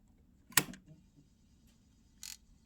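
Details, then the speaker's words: Suzuki GSX-R1000 K8 making a strange noise after switch-off: two sharp isolated clicks about two seconds apart in near silence; owner suspects an electrical or wiring fault. Source unclear. "Just because it's making strange noise when you turn it off."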